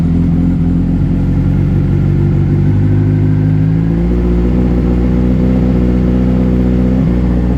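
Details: 2007 Honda CBR600RR after oil, filter and air filter change, in neutral: engine catches after priming, settles to steady even idle, revs cleanly up and down with no knocks or misses; normal running.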